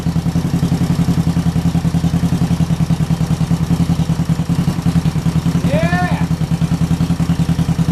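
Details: 1968 Honda CL450 twin after starter clutch repair and clutch cover change, started on the electric starter: even, steady twin beat with a clean low thrum, no knocks or rattles; runs healthy.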